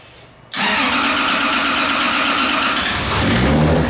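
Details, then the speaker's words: Rebuilt 2JZ in Nissan S14 240SX drift car, first start after fixing missing crank trigger tooth no-start; compression change, tune on: brief crank, sharp catch, then steady even idle, smooth exhaust, no knocks or misses; oil pressure good, normal idle. "so all right so we got the motor started everything's good oil pressure is good obviously it's idling very well"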